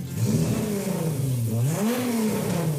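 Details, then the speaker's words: Volkswagen Golf 3 VR6, warmed up after work while being checked for a coolant leak. The six revs up and falls back cleanly, with the note rising and easing smoothly and no knocks, rattles or misses. It started instantly and the characteristic VR6 sound is healthy. "Le moteur a démarré au quart de tour. Le moteur, il fait un son, mais absolument génial. Alors, c'est un son qui est vraiment particulier sur les moteurs VR6."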